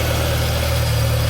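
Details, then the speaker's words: Morris Minor started after years off the road, new fuel pump ticking, still cold, partial exhaust, timing and mixture not yet set: smooth, even low thrum with a steady beat and no misses or rattles; runs sweetly. "that is running like an absolute champ fuel pump's ticking away"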